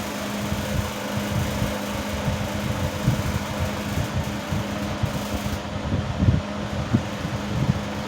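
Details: 1970s 16" Toastmaster box fan, original blade set out of balance and could not be straightened: steady hum with low drone and irregular tinny rattles as the grill vibrates badly at medium speed; imbalance on all three speeds, before blade replacement.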